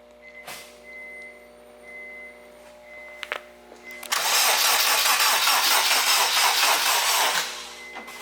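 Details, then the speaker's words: Acura RSX after LSD install and motor build, first start attempt on jumper box, fuel pump heard and fuel pressure present; starter spins evenly and briskly about three seconds but never fires, cranks no start, cause unconfirmed, battery possibly low. "It's like, nope. Usually it starts like really fast too."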